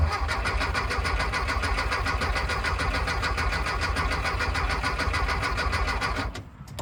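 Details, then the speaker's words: Long-sitting 1974 VW Thing: starter cranks steadily at about three and a half turns a second, seems to build oil pressure but never fires; ignition points found corroded. "it sounds like it's actually building oil pressure"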